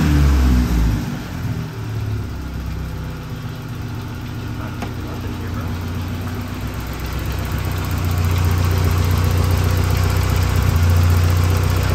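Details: Saab 900 after fixing vacuum leaks and high idle: low steady idle about 900–950 rpm (previously about 1500), faint occasional stumble.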